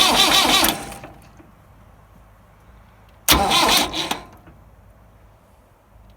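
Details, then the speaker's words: Massey Ferguson 175 tractor with new wiring and a new fuel-tank petcock, clutch in and in neutral while bleeding the fuel lines: two short cranking bursts that never catch. Fuel reaches only 2 injectors and none comes from the pump's top vent; the owner suspects air in the lines. "So it's not firing up. You guys heard it. It's kind of turning over. It's pushing out of 2. It's pushing fuel up to 2 fuel injectors."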